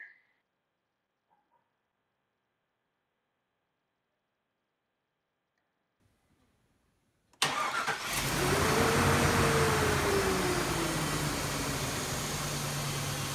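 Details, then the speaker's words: Engine starts after a damaged air intake hose was repaired, revs briefly, then settles to a steady, even idle in the normal range with no hiss or sucking; it is not idling high, so there is no vacuum leak and the earlier issue is gone. "okay as we saw there everything sounds good the rpms are idling nice not idling high which would normally be indicative of a vacuum leak"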